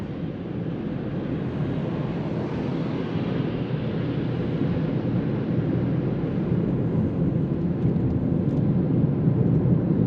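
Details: Hyundai Kona Electric, about 35,600 km, road test on a snowy, refrozen road with the cabin heater off to avoid stray noise: only a steady tyre and road rush rising with speed, no motor whine or growl; the drive is quiet.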